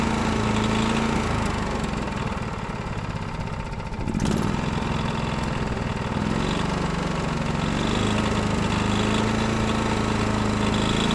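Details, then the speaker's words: Honda GX390 single-cylinder run with borrowed Predator 301 parts (tank, airbox, coil), fresh synthetic oil: steady chugging that dips briefly, then picks back up and holds; normal running. "all right guys we got that gx390 up and running"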